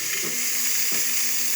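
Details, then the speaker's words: De'Longhi Magnifica espresso machine after tune-up and deep clean, hot water test: loud hissing water flow with a soft surge about every 0.7 seconds as the pump pulses water into the thermos; pump working normally with excellent pressure. "as you can hear it is pulsing and pushing water into the thermos"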